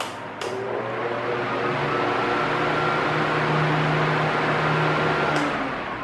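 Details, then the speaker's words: Arno Silence Force 40 cm fan switched from maximum to minimum speed; soft, even low hum and airflow with no rattle or ticking, just switch clicks at start and end; very quiet and healthy at low speed. "Quer dizer, muita diferença, né? A mínima dele é é bem silenciosa."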